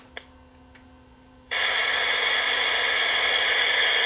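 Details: Sony FD20 Watchman flat-CRT portable TV, first power-up after reassembling board screws during repair: silence, then sudden steady speaker hiss holding evenly; set powers up properly.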